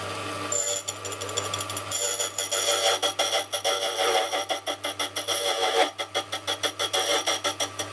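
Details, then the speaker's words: Restored Silca Super Special semi-auto key machine (broken plastic gear replaced) cutting a key: quiet, even cutter passes about once a second, no squeal or chatter; sharp cutter cuts cleanly, though slightly out of calibration, cutting a bit deep. "cuts very nice cuts very silently it's a little bit out of calibration i can definitely tell there"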